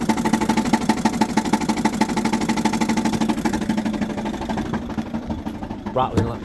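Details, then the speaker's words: Peugeot Expert 2.0 HDi diesel idling with a steady, sharp knock about three times a second, fading toward the end; the knock goes away and runs smooth and quiet when revved, returning as revs drop. "that and then when I rev it goes away it's like smooth and quiet and then when it goes back down to clutch changes"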